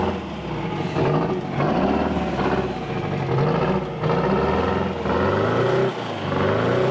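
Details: 1979 GMC Astro cabover, 8V92 2-stroke Detroit diesel, newly running after 7 years sitting once the fuel system was filled: a deep, busy drone rising and falling smoothly with each throttle blip, no misses or knocks, healthy.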